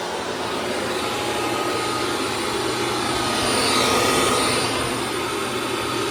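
Steady high whirring motor hum that swells slightly as it moves over the floor, with no grinding or rattle; sounds healthy.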